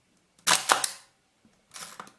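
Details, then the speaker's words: Hasselblad Planar C 80mm f/2.8 T* lens leaf shutter after servicing the sticky slow gear: crisp clicks, each opening and closing snap cleanly with no drag, repeated; normal shutter operation. "Wow, it looks good. Yeah, I think it sounds like it is actually very good. Let's do it again. Yeah, it's pretty good."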